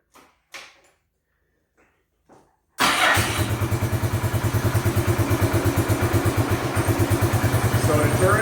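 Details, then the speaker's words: Bombardier Quest 650 ATV that was hard to shift out of park because it sat partly in gear, started before turning down the carburetor idle knob: it catches after a few bumps and settles into a fast, steady idle of about three pulses a second; idle too high. "So what ended up being the issue is the motor was actually idling too high."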